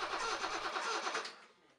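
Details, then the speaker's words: BMW E28 M535i after long storage, cranking: steady fast starter cranking with no firing; no spark at plug, traced to unplugged upper crank position sensor connector, after reconnecting it sputtered. "I cranked it up to see what it would happen evidently nothing at all first I wanted to see if it's making any spark that's the spark plug right there see if it's arcing blue which was not"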